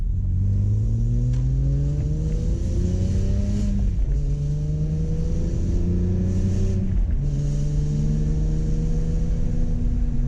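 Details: BMW E46 M3 inline-six after a VANOS rebuild and valve adjustment. It is smooth and even through repeated free revs and drops back cleanly with no ticks or knocks, so running and revving are normal.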